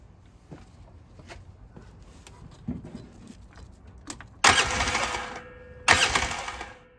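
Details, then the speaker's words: 2009 Polaris RZR 800 parked about 5 years; two short bursts of fast, even cranking with no firing amid handling clicks, turns over freely but never catches. Both cylinders have spark, lights work; owner suspects fuel pump failing from sitting. "They both got spark. Let's check if the lights work real quick. Yep, they do. My guess is that the fuel pump's going bad from sitting."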